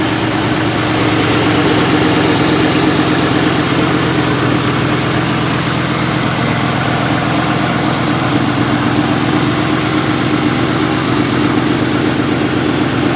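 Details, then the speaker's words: 1998 Mustang GT, 131k miles, PI head swap, FRPP shorty headers, cold start: a V8 idle with a loose tapping at about four per second and an exhaust smell. The owner thinks it is a header exhaust leak. "You get a little bit of an exhaust smell on startup. I think that's just the header leak. You kind of hear it tapping."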